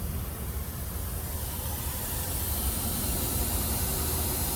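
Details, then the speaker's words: A steady, loud hiss of escaping air over a low rumble from a broken air brake line; both lines broke, possibly snagged on the road, and a new line is being installed. "and you can still hear that the other one's leaking as well watch listen to this see see it gets quiet"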